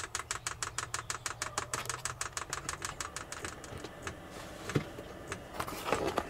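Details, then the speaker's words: Cheap Chinese diesel parking heater newly installed in a Land Rover: steady fuel-pump clicking about three beats a second as the burner catches and settles into an even roar; it starts and blows warm air normally. "check it out guys it's working man get some warm air can you feel that it's good huh"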